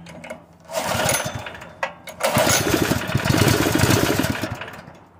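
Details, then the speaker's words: Honda GX160 on a gasoline air compressor converted to propane surges in uneven bursts, cuts out abruptly as if switched off, catches, then dies; stalling cause not found, and owner suspects weak valve springs and that a valve job is needed. "seems to be a sweet spot for [Applause] run it's just like you turned it off something's killing this"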